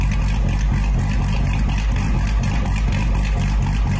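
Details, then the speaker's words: C8 Corvette from Complete Street Performance, recorded through a camera: a deep, uneven, choppy loping idle at about two beats a second; normal big-cam lope. "that engine sounds absolutely amazing I'm I'm excited to get that car back and if you didn't hear that chop you got to think about it that chop that you just heard in the C8 that's through a camera"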